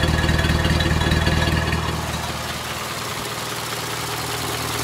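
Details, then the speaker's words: Rebuilt 1932 Ford Model B four-cylinder on the stand: steady even exhaust beat near four pulses a second, settling smoothly as revs drop; broken in, normal idle. "well there you have it the venerable for cylinder yeah with that wonderful exhaust Rhythm that Henry was so famous for"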